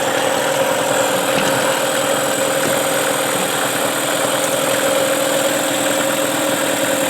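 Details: Tracker (Mercury Marine) 9.9 HP outboard back running after sitting about a year: steady even buzz holding one pitch with no sputter or dropouts, running cleanly; normal running.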